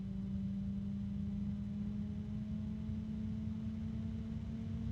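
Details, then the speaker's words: PC case fan with a resonance: steady low hum with a strong pure tone near 210 Hz that swells as the fan speed drifts. Some fans have no resonances and some have several. "it's interesting how some fans don't have any and some have several"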